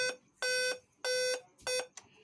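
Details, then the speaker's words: Dell Vostro 3458 laptop (board LA-B843P) powered on, fan spinning: eight loud even beeps with no internal display while an external display works; 8-beep display code, usually an LVDS connector or panel fault, later traced to a shorted logic gate. "ठीक है, 8 beep आ रहा है और display नहीं आ रहा है।"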